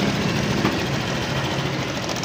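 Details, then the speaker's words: Honda Click 125 scooter after replacing the worn cam chain tensioner; even steady idle with soft mechanical hum, the earlier rattle from the slapping timing chain is gone; bearing was not the problem, normal idle. "Pahinga natin kung maingay ba. Yon. Yan. Kung mapapansin niyo wala na yung lagatak."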